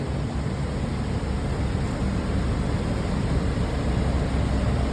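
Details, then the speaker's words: School bus A/C system after repair, reassembled with shroud refitted: steady even rush of air with low hum from the vents, some dust blown out, rear fan switched on, no rattles or squeals; normal blower operation, already starting to cool. "Yeah, now we've got air out the vents. Whoop. Blew some dust out of there. Let's turn our rear fan on."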